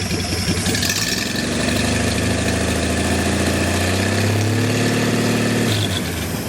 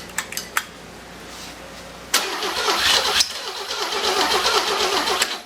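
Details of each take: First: Six-cylinder engine on a stand, not yet boosted, no coolant hooked up, 40 psi oil pressure: quick catch, steady slightly lumpy idle; running normally. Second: Six-cylinder engine, first start before being boosted, plug wires without boots: a few clicks, then a loud ragged burst of cranking that churns unevenly without settling into a steady idle; cranks but won't fire.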